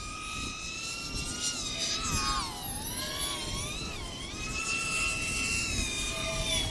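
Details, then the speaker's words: iFlight Tachyon 1408 4100kv motors spinning 3056 props on 4S: a high motor whine that wavers and wobbles in pitch with a shaky buzz; prop oscillation. "can hear the props you have some kind of oscillation but some sort of a vibration or something that's right there you can hear right there it's not because of all things because of the tune this is this motors are spinning this prop at this incredible rpms"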